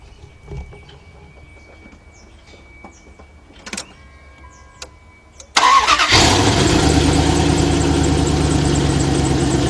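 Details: 2001 Dodge Ram 1500 pickup with 5.2 engine and check engine light on: short crank catches into a loud, heavy, uneven idle with a rough pulsing beat; something sounds wrong, cause unclear.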